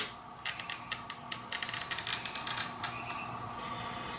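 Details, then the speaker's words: Toyo TC-600 oil-reservoir glass cutter scoring with moderate continuous pressure: fine constant crackly creak along the score, then a sharp snap as the glass breaks cleanly. "and what you want to do is hear that that constant creaking sound and you get a pretty clean break there"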